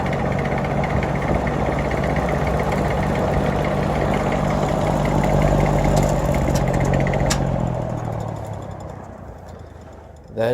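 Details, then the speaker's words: 1950s GE box fan, three-speed reversible with thermostat, run on low: low droning hum with heavy rhythmic shake about three beats per second fading as it slows; fan blade imbalance, hub not centred on spindle, bearing play. "shaking worse than i have ever seen a fan shake this thing needs to be balanced"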